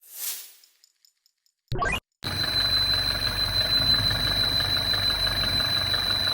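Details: MINI Crossover R60 abnormal engine noise at idle: thin high whine over a light, fairly regular ticking about three per second; source not pinned down.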